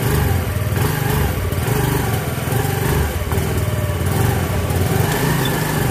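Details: Yamaha Mio Fino scooter after fitting a new clutch bell: an even, low idle with a steady pulse and no rattle or scrape from the clutch side; the transmission sounds healthy, though the carb is still due for cleaning.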